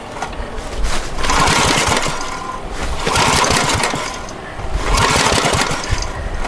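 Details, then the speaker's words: Abandoned water-logged Generac generator: three hard recoil pulls about two seconds apart, engine spins but never pops. No spark, because the oil shut-off switch wire was disconnected and tucked away, grounding it. "Alright, I figured out the reason for the no spark. It does have an oil shut-off switch just like the Honda did. Now, it wasn't connected. Rather, this wire was tucked up under here, which made it grounded."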